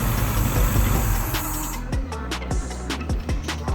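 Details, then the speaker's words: 1996 1.6L 16-valve engine swapped into a 1988 Suzuki Samurai, first start after head gasket job: uneven lumpy idle with irregular pulses; distributor one tooth out on timing, to be re-stabbed one tooth over. "It started up, but I can tell I need to restab my distributor. Move it over one tooth. So it looks like it's a tooth out, but doesn't that look good?"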